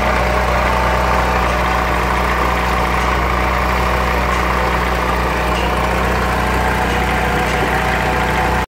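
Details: Renault Clio petrol engine at idle: rough uneven misfire with faint steady whirring rub from belt area; water found in spark plug wells, cleaning plugs and cables didn't fix it, cables/coil to be replaced.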